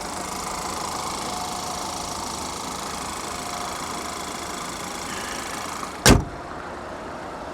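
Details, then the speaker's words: GMC at salvage auction, about 94,966 miles, low coolant and check engine warnings, hood open: steady even idle with smooth hum, no knocks or misses, a brief bump near the end; sounds good. "she sounds good though she does she sounds good"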